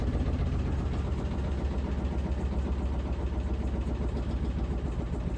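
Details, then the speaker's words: Washing machine slowing down from final spin with a load of clothes: deep uneven rumble with a rhythmic thump about four times a second as it shakes; owner attributes it to the load, cause not confirmed. "You hear it's making that noise cuz it's shaking means there's a load of clothes in there."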